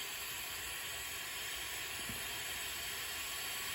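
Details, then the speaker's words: Firman 2100i suitcase generator with low compression after running all night over loose dirt; leak-down test at 100 PSI holds only 34 PSI, over 60% leakage versus about 3% expected; steady hard hiss of air rushing out; excessive leakage. "so 100 PSI out of 100% it is leaking out a lot um over 60% you don't want that"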